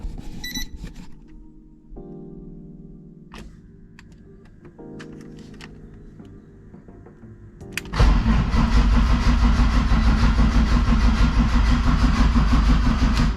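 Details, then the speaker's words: BMW E36 2.8, cleaned spark plugs and idle control valve which still buzzes loudly; starter churns steadily about three turns per second with no firing in any cylinder; cranks but won't start, cause unknown. "nope still doesn't want to [Music] do anything there's no sound no single explosion in any of the cylinders which is weird"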